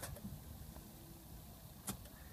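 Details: 2005 Ford Taurus won't start: faint sharp clicks when the key is turned, then silence with no cranking. Ignition and fuel pump work; starter draws about 40 amps with voltage drop, a bad starter that lasted almost two years.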